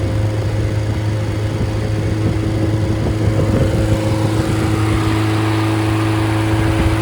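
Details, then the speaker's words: Freshly rebuilt Triumph Spitfire/MG Midget 1500 engine (FP4750UE, likely '75, ~9.1–9.2:1 compression, double timing chain, double valve springs), cold start, ~120–130°F, oil pressure 80 at idle: smooth even low idle, no ticking or knocking; healthy. "Okay, so there you have it and this this engine checks out all the compression oil pressure is good."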